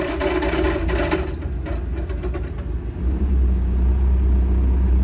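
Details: Diesel machine that cut out and wouldn't start, running after fuel filter replacement and priming, rail pressure checked OK though one low rail pressure code logged: deep steady rumble, even firing, no knocks or misses; normal running.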